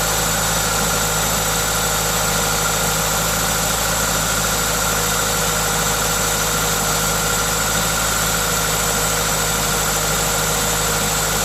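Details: Toyota 2ZZ-GE engine with an induction kit: smooth, even idle with a steady low beat and the induction kit's intake hiss on top, no knocks or misses; normal idle.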